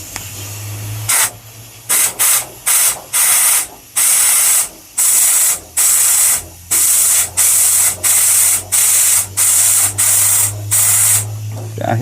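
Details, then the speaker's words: Long-sitting Ford F100: a dozen sharp bursts of hissing air forced backwards through the fuel line to clear a blockage. The T fitting is clear, so the blockage is from there down toward the tank. "we'll just blow it backwards yep so it's not that so it's from here down which doesn't surprise me"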